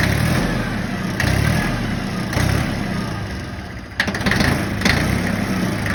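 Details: Yanmar 1601D engine in a John Deere 750 tractor after freeing a governor rack gummed from sitting a winter, using lube and cutter: small diesel settles into an even, steady idle with light throttle blips and no hunting or surging.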